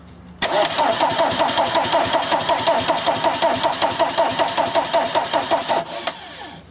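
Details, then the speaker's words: VW camper van with a swapped-in TDI diesel: it cranks and catches with a clattering diesel beat for a few seconds, then cuts out and winds down. The immobilizer is believed not deleted from the ECU; starts then stalls. "I know full well what that means that means to basically to ECU hasn't already immobilizer has not been deleted from this ECU"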